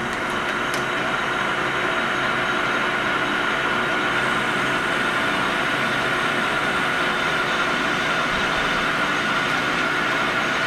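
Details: Lathe final finishing pass turning O1 tool steel stock for a boring bar down to about 0.750 in with a newly replaced insert: steady, even hiss with a faint constant high whine and no chatter. A clean cut, finishing at 0.7503 in.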